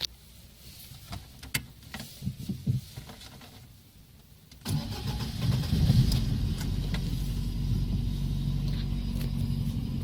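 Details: Lada 1.6 8-valve 11183 engine, which had a knock when new that quieted once warm and later knocked hot, fixed by swapping CCCD pistons for E; here it catches after a few clicks and settles into a smooth, even, knock-free idle.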